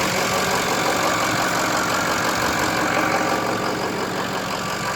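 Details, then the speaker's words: 2006 Ford F-350 6.0 Powerstroke diesel after fixing crank-no-start (bad ICP sensor and fuel pump): fires right up, steady even diesel clatter at idle with no misses or surging; normal idle. "fires right up now problem solved idles nice and smooth does what it's supposed to do"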